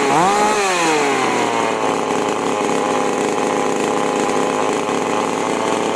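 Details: Chainsaw (5002/5018-type with H and L carburetor screws) after carburetor tuning, starting from 1.5 turns out on H and L and richening H to stop surging at full throttle: snaps to full revs and holds a strong steady note while cutting wood, no bogging; normal running under load.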